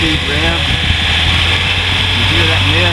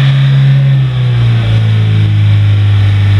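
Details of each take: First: 1983 Toyota Mini Winnie engine after belt job, oily spot underneath: steady low idle, even hum, no knocks or misses, sounds pretty good before high-speed run; owner concerned about high-speed noise and exhaust mist. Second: 1983 Toyota Mini Winnie motorhome engine, warmed up, free-revved: steady low drone climbing with revs, with a faint uneven stumble at the top end; owner notes a slight high-rpm miss, slight exhaust mist and some oil use.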